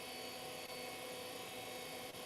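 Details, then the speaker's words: Old IDE hard drive in a 386/486 retro test computer spins up loudly with a steady airy whir and high whistling tones, no click of death, yet BIOS fails to detect it. "Oh, it's loud, too."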